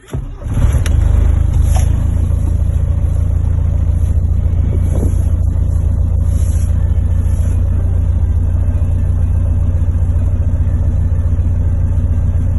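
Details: Diesel started at -3°C after sitting six days, two years after injection pump (TNVD) repair: steady, even low rumble with no knocks, misses or rattles; normal cold idle.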